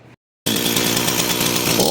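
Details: Echo CS-440 chainsaw that idled but bogged and died on throttle, from a lean high-speed mixture, now screams at a steady full throttle without stumbling after the right-hand high screw was turned out a quarter turn at a time.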